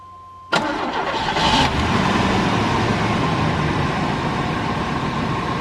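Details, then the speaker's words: Old Chevy pickup that sat at least 4 and up to 7 or 8 years: quick crank, then catches at once and settles into a steady, even idle with no misses or knocks; normal start and idle. "guys, I mean, as far as revival videos go, that one's kind of a bust because this thing fired up like it had just been shut off yesterday."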